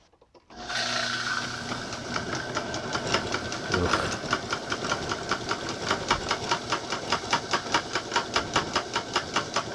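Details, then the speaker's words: Homemade small metal lathe for model makers on loose temporary setup, top speed via step pulleys (6-inch pulley, 2-inch motor pulley): quick uneven metallic rattle two or three per second over motor hum from loose makeshift mounting. "There it is running, rattling on my temporary setup. That's the fastest speed."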